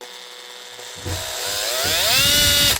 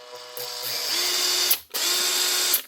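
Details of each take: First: Makita BHP452 cordless drill (2011), customer suspects burnt out; runs in short bursts with high whining motor note and ragged clicking, likely burnt armature plus worn brush ring and brushes. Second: Makita BHP452 cordless drill from 2011, after repair with new motor, armature, brush holder and brushes: two short runs with a steady high whine from the switch; the earlier clicking from the back is gone; healthy.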